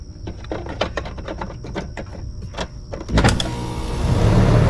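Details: 7-year-old AC condenser unit after the dual capacitor was replaced: light clicks, then it kicks on about three seconds in and settles into a smooth steady whoosh; running normally.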